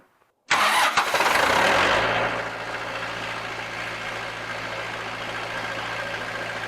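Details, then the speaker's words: Montana 4540 tractor after replacing the starter and fixing a battery cable with melted spots: brief crank, then it catches within a second and settles to a steady, even diesel idle with no knocks; normal start and idle. "Okay, guys. So, uh this is back in operation."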